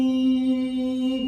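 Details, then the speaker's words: Multimeter set to continuity after its probes were replaced because it had not beeped: a clean, steady mid-pitched beep without dropouts, showing the meter and probes are good. "Então fez o som sonoro tá bom"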